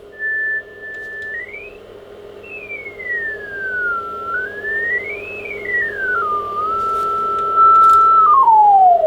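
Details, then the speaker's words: ICOM IC-751A transceiver (bad VCO trimmer caps), receive check at 28 MHz, lower sideband: clean whistle slides smoothly as the dial turns, with no hum or distortion; LSB pitch slightly low, BFO possibly needing realignment but sounds okay. "there's only one difference the pitch in LSB is a little bit low when you go to upper side Bend the frequency of the pitch is higher maybe the PFO needs a realignment but as it sounds the bfo itself is okay for this frequency"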